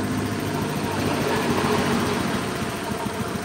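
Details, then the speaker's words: Honda Beat scooter idling unevenly with a soft wet sputter while checking TPS and cleaning throttle body; injector delivering too much fuel, running rich, before adjustment/reset. "diangkat tiga terus makanya suaranya kayak mbet-mbrebet basah gitu. injektornya ini."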